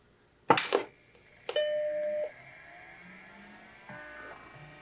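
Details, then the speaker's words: Macintosh SE with repaired SCSI hard drive, outside the chassis: click, one clean startup chime, then a faint drive whir as the drive spins up; normal power-on, drive working. "the good news is i see the drive spinning or i can hear it spinning i can see the motors moving"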